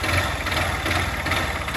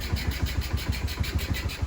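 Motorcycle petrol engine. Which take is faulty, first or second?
first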